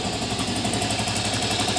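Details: 1998 Aprilia Leonardo 125 scooter, long stored outside, after battery replacement and carburettor cleaning: quick, even idle with a steady beat and no misses; it idles normally.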